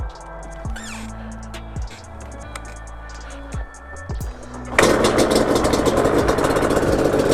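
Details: 2005 Yamaha Banshee two-stroke twin after carb syncing with a flow meter, reassembled and kick-started: after music, a crisp buzz picks up cleanly on throttle blips with no stumble or bog; the carbs sound evenly synced, normal revving.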